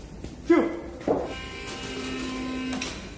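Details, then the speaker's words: Mercedes-Benz S600 W222 front suspension as the car is lowered and settles: short rubbery squeaks and a thin sustained creak from worn lower control arm bushings rubbing, before control arm replacement. "아, 벌써 찌익 소리가 나네요. 다 떠봐. 내려봐. 예, 부싱 비비는 소리가 나죠."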